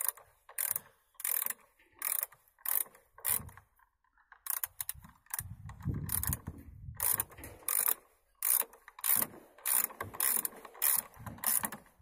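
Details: Lada Granta driving: short dry creaks in bursts, roughly one every half to one second; doors creaking in their frames while moving.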